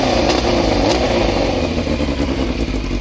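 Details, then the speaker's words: Yamaha FZR 600 finally running after revival, previously run on the choke and an over-fuelling pump, carb sync still to do: loud, crisp four-cylinder revs rising and falling without misses or popping; normal revving. "Mais mort le bruit qu'elle fait quand même. Elle est belle, hein."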